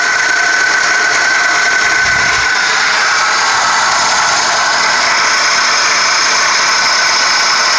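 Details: 1998 Toyota Corolla, 190k, daily driver with regular oil changes: light fast metallic diesel-like clatter at idle, three to four per second; owner found about 1/2" up-down play in the timing chain and suspects it, unconfirmed.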